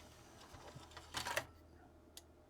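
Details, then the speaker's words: Vintage Sharp DX-150E CD player, circa 1988, after repairing its two faults that stopped discs playing: quiet soft whirs and small clicks as the disc spins up, focuses and the sled seeks; healthy start-up and read, showing 16 tracks. "so Press Play It's playing the first track second track let just go right up to the last track it's track 16 and it's playing that"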